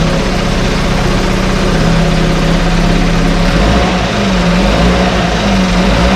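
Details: 1968 Evinrude Fastwin outboard in test tank, out of gear, no load, untouched, Sea Foam in fuel, no cold-start cough: steady even two-stroke burble, no misses or coughing; normal idle.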